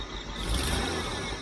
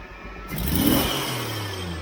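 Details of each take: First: Jeep CJ-7 with aftermarket fuel injection, timing just set to about 10–12° (was 6°), belt squeaking slightly: quick throttle blip swells then hesitates and flattens before recovering, the long-standing tip-in stumble. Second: Jeep CJ-7 after lowering a fast idle: blip climbs smoothly without hesitation and drops back evenly; stumble cured, clean throttle response.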